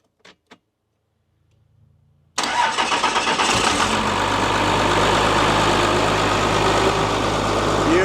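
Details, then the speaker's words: Abandoned Dodge plow truck, 12-valve Cummins diesel, about 300,000 miles, sitting for years: silence, then catches almost at once into an even, steady diesel clatter with full oil pressure and charging; healthy start and idle. "You got all pressure. Wow. That's a 12 valve, baby. It's charging."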